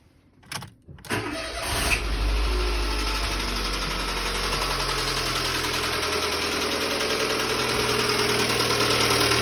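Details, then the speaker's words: Dacia Sandero 1.2 petrol with lots of oil underneath: starts and settles to idle with a hard, fairly regular knock about three per second; severe internal engine knocking. "So, Dacia Sandero, 1.2 petrol, severe knocking noise and lots of oil underneath."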